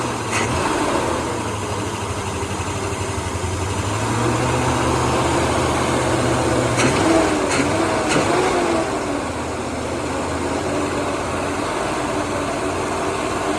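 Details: 1977 Holden HX Statesman Deville, 308 V8 with Turbo 400, sat about 20 years, started on fuel primed into manifold: even settled idle with steady low rumble, no knocks, misses or ticks; running cleanly.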